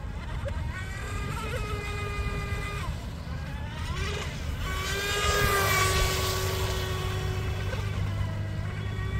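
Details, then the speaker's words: DIY RC Mini Mono boat on 3S with 436 three-blade TFL prop: after a fast run the motor cut out mid-pond, a thin steady beeping tone sounded, then the whine returned; owner suspects overheating or a power cut, unconfirmed. "the boat just stopped working in the middle of the pond and uh after a few seconds it worked again but you can hear the beeping tone I think it should suggest that either the setup got too hot or it got a power cut"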